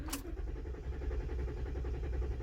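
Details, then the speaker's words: 2013 Ford F150 6.2L V8 on a chilly spring day: a click, then starter cranks evenly but never fires; fuel pump not heard priming, spark and power appear good, suspected fuel pump issue, crank no start. "nothing so my initial thought is it could possibly be a fuel related issue"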